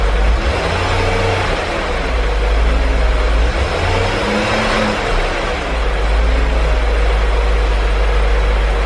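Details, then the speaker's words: 2003 BMW E39 M5, S62 V8, mostly stock with stock exhaust, not a completely cold start: deep, even idle with a steady low rumble and no ticking or rattle; owner hears pretty much no VANOS noise. Normal idle. "okay guys so as you can hear the car sounds really quiet pretty much no vanos noise in my opinion I mean it does definitely have the s62 style sound of course all of us have grown to love or maybe hate"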